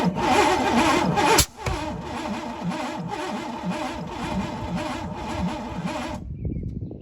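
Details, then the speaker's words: Cheap Pontiac Fiero GT, non-running and previously seized, cranked with spark: a sharp pop, then lumpy chuffing about twice a second, blowing back through the intake; owner suspects stuck intake valves or swapped plug wires. "So looking back, it's blowing out the intake, which tells me that either a spark plug switched or there are a couple intake valves stuck open."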